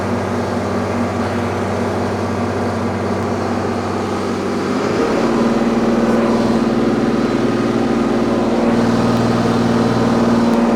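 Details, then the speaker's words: Freshly overhauled Allis Chalmers 210 tractor diesel on break-in at wide open throttle in an easier gear, 900° pyrometer, 163 coolant, 39 psi oil, about 7 psi boost: deep steady drone settling into firm even pull under load, no knocks or misses. "Okay, we're wide open throttle, still pulling in an easier gear. I think we're okay."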